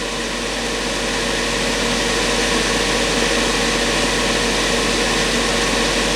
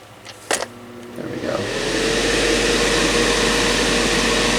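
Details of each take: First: Black&Decker BDCH200 1500 W heater on fan-only setting, fan drawing 20 watts: steady, even whir with constant hum and no rattles, then switches off; fan runs normally though airflow is modest. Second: Black&Decker BDCH200 1500 W heater, fan-only setting, switch propped down to engage: click then steady whooshing hum; fan spins freely, not locked, but pushes little air; weak airflow.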